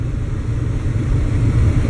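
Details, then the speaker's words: Truck with a new distributor and freshly set timing, pulling under load: deep, steady engine drone with wind rush and no pinging; running healthy. "listen to it pinging it's not pinging shits fine"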